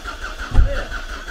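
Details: Volvo V40 abandoned for years, fuel was not reaching the rail, refuelled and cranked; a brief cranking thump and low rumble that stumbles as a few cylinders fire but never settles; cause suspected, not confirmed; combustion trying to catch.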